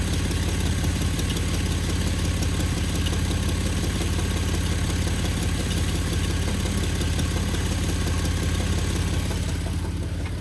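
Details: 2011 Jeep Wrangler JKU at idle after an oil change, filter switched from FRAM to WIX and a quart of Lucas synthetic additive added; low, dull rhythmic clunk about twice a second, owner unsure if engine or a worsening exhaust leak.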